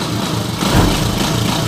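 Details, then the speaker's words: Honda TMX155 single-cylinder motorcycle after overhaul, started on one click: quick, even idle putter with no rattles or misses, smooth like brand new, in contrast to the earlier rough running. "Ayan na yung andar niya ngayon kumpara kanina eh napakalayo nung andar niya kanina saka ngayon yan oh sa smooth"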